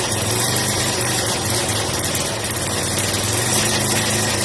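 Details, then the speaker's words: Yamaha SR125 single, laid up for years and missing its front end, on its first start: it chugs fast with a lawnmower-like rattle, idle revs too high. "Sounds like the lawnmower. Yeah. The rims are a little too high for idle."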